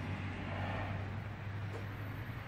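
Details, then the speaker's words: 1992 Eagle Talon TSi AWD fuel pump run, before check valve installation: steady, even low hum with no surging until the pressure regulator overrides at about 30 psi; normal fuel pump operation, though pressure then drops off. "can hear a runnin I just heard it override the fuel pressure regulator and we'll stop it"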